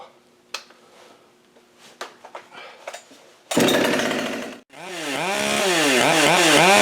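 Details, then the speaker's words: Husqvarna 572 / Holzfforma G372XT project chainsaw with new parts kit fitting a muffler: a few light knocks, then fires with a sharp rasp and revs up and down cleanly, strong and even; muffler problem solved. "see if there's enough gas in this thing that fired up and see what it does but this solves my muffler problem"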